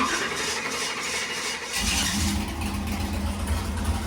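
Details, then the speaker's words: Junkyard 5.3 LS V8 on dyno with brand-new, never-run carburetor: catches after short crank and settles straight into smooth, steady idle with no stumble; healthy. "now keep in mind this is a brand new carburetor right out of the box that's never been put on an engine before and it fired right up and idled as if it had already been run"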